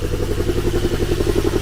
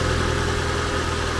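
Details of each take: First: Dirty manual-transmission non-twin-turbo 2+2 Z car that was reluctant to start: lumpy idle with a steady stumble about four times a second and uneven chuff. Not running on all cylinders, with an oil smell from the exhaust; rings suspected gone. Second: Deer-damaged Ford Fusion that was misfiring, suspected bad coil, then cleared up: steady, even idle with a smooth low hum, no stumbling or skipped beats. Now running cleanly.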